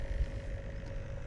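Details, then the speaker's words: Bestway/Intex pool pump-filter impeller pump (Steel Pro Max pool), microphone right up close: quiet steady low hum with faint mid-pitched whirr and slight pumping noise, no knocking or rattles, water visible flowing in pipe; running normally. "It's an impeller pump. You can hear a slight pumping noise. You can see the water there through the pipe. Really quiet."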